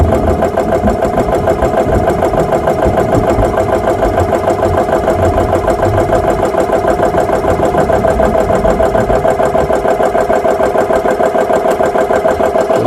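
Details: GX CS3 high-pressure compressor after repair with four new O-rings, no filter fitted, set to 3,200 PSI, filling an air gun from about 2,500 PSI: steady, regular pumping beat about three per second with even hum and no rattles; running healthy.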